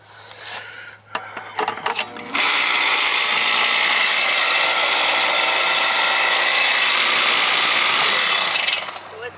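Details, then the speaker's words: Carrier condenser scroll compressor that would not start, now run with a hard start kit added: after clicks it kicks on into a loud, harsh grinding rush that holds steady; the compressor is mechanically shot. "that's the compressor she's she's shot see that put the hot stock kit on it to get it to kick over now it's kicking over that compressor junk it was making a noise yeah that's not good that's a scroll"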